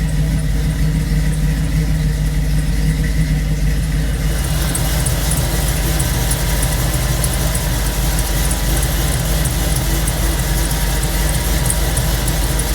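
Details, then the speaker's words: 1962 Corvette with 1963 Latham supercharger, idling just after a cold start: steady, low, even rumble with no knocks or misses; normal cold idle. "Here's a cold start video on the 62 Corvette with a 63 Latham Supercharger."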